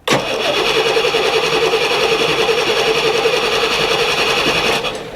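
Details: 1990 Fleetwood Bounder motorhome engine; starter spins the engine steadily for about five seconds but it never catches, no fuel spray seen: crank no start.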